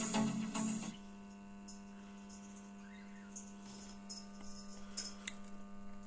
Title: What is the humming sound in the amplifier, BD424 Amplifier,👍🙏 Subscribe.